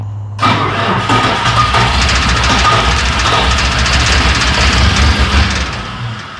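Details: Bobcat 743 diesel skid steer, about 30 years old, after a new fuel filter, glow plugs held, on a weak battery: long, even cranking at about three turns a second, almost catching but not running. Air is likely still in the lines.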